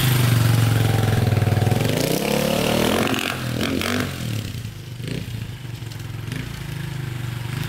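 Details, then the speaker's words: 2002 KTM dirt bike, likely 400cc EXC rather than 450, briefly warmed, first test ride in the yard in rain: pulls strong then sags, stumbles and turns ragged when revved, as if hitting the rev limiter at once; bogging, cause unknown. "kind of bogging down a little bit i don't know what's going on with it it's kind of weird all right so first test drive didn't go so well so when you rev it it kind of bogs out and it kind of almost feels like it's hitting the rev limiter like right away so it's very very odd"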